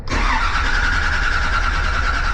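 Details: 1956 Chevrolet Bel Air, intermittent no start, injectors not firing, battery charged with booster pack: starter churns steadily with low even beat, engine never catches. Cranks but won't start.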